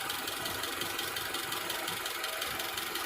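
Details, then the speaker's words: 1998 Honda Civic EX idling choppy and stumbling at about three pulses a second after a parking-lot drive; no stored codes, it has stalled once warm, and the owner suspects the idle air control valve and throttle body need cleaning. "Yeah, it's a bit choppy. I drove it around this parking lot here for a bit. Probably gonna have to pull the idle air control valve off, clean that, clean the throttle body."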